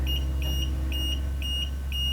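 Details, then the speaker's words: 2018 VW Passat A/C: recovery machine started, high electronic beeps about twice a second over a low hum, a low-pressure alarm with an error code; not enough pressure to begin recovery, no refrigerant in the system. "Not enough pressure to even start the recovery. And it has a code there. And you hear the beeping?"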